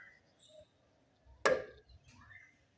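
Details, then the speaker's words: Fiat Idea after new bushings, mounts and shock absorbers: a single sharp, hollow front-suspension clack whenever it goes quickly over a speed bump. The cause is not yet confirmed. "Oi Renata batidinha E aí acontece sempre quando você passar rápido numa lombada ele dá essa pankadinha bom e você vê tudo novo a todos Zerado tá e o carro apresentou essa batidinha"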